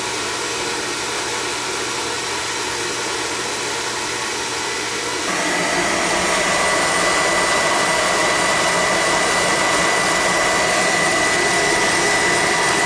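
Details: Oil-fired furnace that had been tripping out on safety from air in the pump, running after fittings were checked and the line flushed; steady roar steps up as the flame catches, then holds even with no sputter, normal operation.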